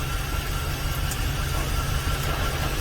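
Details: 2006 GMC Savana 4.8L V8, automatic, idling: uneven, loping beat with an occasional dropped pulse; scanner confirms cylinder 8 misfire, suspected short circuit in wiring after earlier parts replacement.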